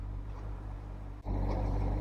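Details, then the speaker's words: 2003 BMW Z4 E85 idling low and uneven with a wavering rumble, with the check engine light on; the owner suspects a vacuum leak from a torn boot on an intake gasket. "yeah idle is quite rough so the issue I'm having with the rough idle and the check engine light I'm pretty sure is down to a torn boot on one of these intake gaskets here"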